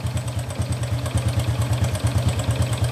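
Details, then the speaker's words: Honda Wave 125 at idle, which the owner suspected had connecting-rod damage. A quick metallic tak-tak clatter of about two beats a second rides over the thump; the mechanic says it is timing chain rattle, not the connecting rod. "So yung takatak na yon, hindi connecting rod yung tama na yon."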